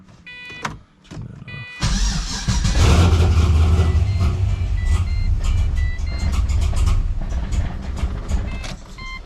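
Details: 2006 Pontiac GTO V8, startup after fitting Revshift billet engine and transmission mounts, MAF sensor accidentally left unplugged: door chime, cranks and catches into an uneven lumpy idle with irregular ticking; rough running.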